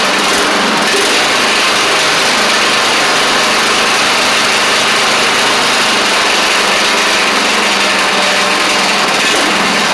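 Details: Craftsman DYT4000 riding mower after sitting about 2.5 years, started with only fresh gas and a little choke (choke was stuck): small single-cylinder engine holds a steady even buzz, no misses or knocks; sounds good. Normal running.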